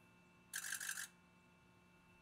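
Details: 2007 Ford F250 6.0L Power Stroke diesel, suspected injector fault (pending P0263 cylinder 1), AutoEnginuity injector buzz test, engine off and cold: rapid even buzzing clicks, pause, then one sharp click; injectors sound fine cold.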